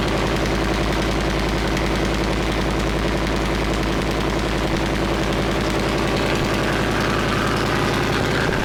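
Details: Leopard tank diesel engine test-run after resealing fuel injector bank O-rings and replacing five or six cracked hoses: loud, steady rumble with a fast, even chuffing beat around three and a half per second, no misses, no leaks; healthy run.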